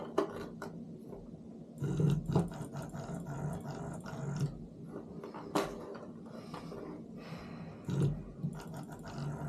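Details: Known-good Simagic P-HPR Neo pedal haptic (the control) run on all three ports while comparing two P2000 control boxes: short, strong, crisp low buzzing pulses every couple of seconds; consistent normal vibration, with no difference between the boxes.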